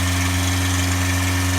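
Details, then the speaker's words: 1985 Toyota Tercel parts car, cold start after about a year unused, started with carb cleaner down the carburetor: steady engine drone with fixed hum tones held at a fast idle well above normal, really high idle. "All right. Yeah, it's really high idle."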